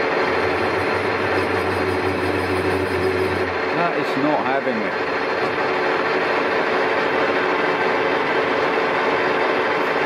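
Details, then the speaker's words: Colchester Triumph 2000 lathe turning a long thin paper-bag machine roller shaft without a steady rest, light skim cut: ringing hum turning into rough buzzing chatter, worsening even at tiny depths of cut: lathe chatter. "starts chattering so hard to get rid of it even at the tiniest depths of car it just follows the existing vibration and if anything just gets worse"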